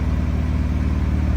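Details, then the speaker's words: Swapped engine in a Honda Civic EG hatch, new water pump and oil pan gasket, no exhaust, warming up: steady, even low idle with smooth regular pulse, no knocks or misses; running fine. "Sounds good with no exhaust fan, no gas. I know. It sounds pretty good."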